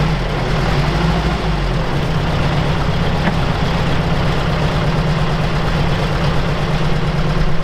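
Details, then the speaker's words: Old Soviet UAZ 469 four-cylinder, parked about a month, on choke and getting plenty of fuel, before ignition overhaul: deep, lumpy, lopsided idle firing on only two cylinders; owner suspects an ignition issue: misfire at idle. "okay so it does fire up but it doesn't sound like we're running on all four foreign works that works and the other one is not doing anything nope man I won't stop doing anything okay so we're only running on two right now"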